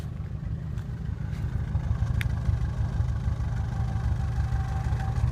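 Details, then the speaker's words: 1985 Oldsmobile Delta 88 with a 307ci V8 idling on its own but very rough: a lumpy, stumbling beat with a faint hiss over the exhaust rumble. A vacuum leak is heard; it has been running badly from a bad EGR gasket. "so oddly enough it's idling on its own it's very rough"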